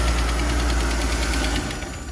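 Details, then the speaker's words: Shop car run after motor mount check: steady light ticking over a rough idle, then the engine sags and stalls; engine tick with stalling, possibly purge valve pulling in fuel vapour. "ah it's pretty straight did it stall yeah yeah this thing got some issues"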